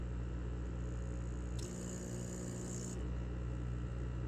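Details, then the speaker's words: Magnet-driven aquarium air pump after being taken apart and repaired for loud noise, lid back on, finger over the outlet to simulate tubing: faint steady low hum with no rattle or buzzing; barely audible, normal running. "Look at that. Barely hear it. Now it's silent"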